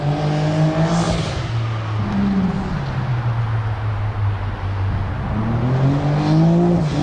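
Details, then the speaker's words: Beast Mode X3 on a drive pass, with a burble still heard earlier; revs rise and fall cleanly through repeated pulls with no stutter or popping, and it sounds a lot better: normal acceleration. "i think it does sound better i believe that's just him pedaling it so we'll see if he stays in it a little longer on the way back oh yeah sounds a lot better a lot better"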